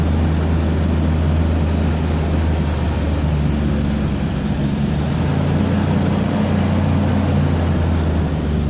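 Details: Petrol engine idling with a low, droning, slightly wavering hum: rough idle from a vacuum leak, as old, brittle PCV valve lines let the PCV valve pop out of its socket.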